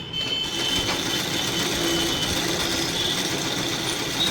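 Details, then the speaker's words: Usha sewing machine run for months without oil: fast, high-pitched metallic rattle and chatter from the unoiled, dry rotary hook; oiling the hook with coconut oil eliminated the noise. "अलग से आवाज आ रहा है जैसे कुछ जहां से लग रहा तेल नहीं दिया हुआ तेल का प्रॉब्लम है"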